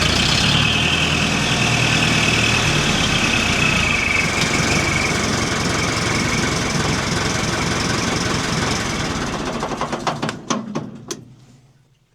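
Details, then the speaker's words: Warm Nuhvi tractor engine revved after cylinder-head re-tightening and valve adjustment: strong even high-rev roar, then smooth wind-down to stop; oil pressure 40 rises immediately to 670; runs well. "The engine is still warm and the oil pressure is 40pa. It immediately rises to 670"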